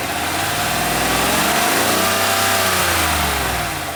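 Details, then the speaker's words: Vehicle being checked for a clunking noise heard mostly on cold starts and light acceleration; the engine swings up and back down smoothly with no knocking or clunking, so the engine is ruled out and the exhaust is suspected. "Nothing to me suggest here that I have an engine problem or knocking or clunking. Nothing suggests this."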